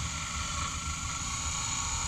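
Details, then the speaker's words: Taylor T 450 wood water boiler circulator pump after overheating and water loss, bled with no air: loud constant hissing whir with high thin whine, no pitch change; noise persists, impeller spinning without moving water. "yeah it's still making this noise so my next thing is I'm going to take apart the pump here and see if there's something wrong on the inside"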